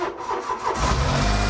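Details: Smart Fortwo 450 Cabriolet with a seized alternator, starting after sitting: slow, heavy cranking with a few uneven pulses before it catches and settles to idle; starter sounds strained, unhappy turning the engine.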